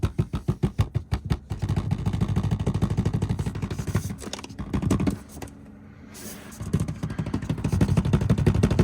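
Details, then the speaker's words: Rivian R1T dashboard giving a fast, uneven buzzy rattle while driving that comes and goes over bumps, like a loose dash panel; the windshield had been replaced after a crack, and the truck is going to the service center. "and then the last thing that we're getting looked at is the dash is making a rattle sound so you can probably hear"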